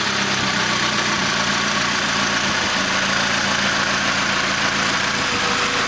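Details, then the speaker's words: 1991 Honda EF hatchback with a freshly rebuilt D16Z6 replacing a blown engine, first start, stock-tuned P28 ECU, no check engine light: steady, smooth idle at about 950 rpm with no knocks or misses; normal idle. "motor sound damn good motor sounds great"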